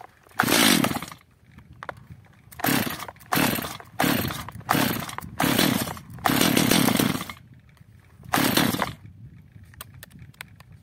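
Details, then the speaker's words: Stihl MS 230/250 chainsaw after the L screw was turned out one turn to richen it, while warming up. It fires in ragged bursts and runs better but still stalls; possibly over-adjusted, so the L screw is then turned in half a turn. "być może przesadziłem z regulacją Jak widzimy pilarka pracuje lepiej jednak gaśnie"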